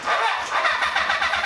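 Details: Cafe scrambler motorcycle being started for the first time in 21 years after a carb rebuild and wiring fix. The starter whirs with even compression pulses about ten a second but it never fires; it cranks but won't start.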